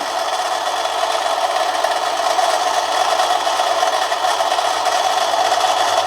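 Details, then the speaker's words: Manson lathe turning a 1/2-inch brass bar at about one-fifth normal speed, very fine light cut: even hissing scrape over a steady motor hum, no chatter or labouring; cutting cleanly. "okay here we go very very very fine cut i'm not going to put too much of a load on it"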